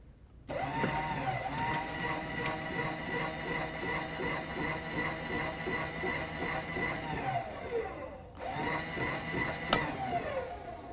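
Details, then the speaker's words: SHP series spreader auger motor running: smooth, steady electric hum with even high whine, no grinding or rough bearing noise; motor running fine. "Uh, again, no grinding, no like real rough um noise inside. So, we know that's running fine."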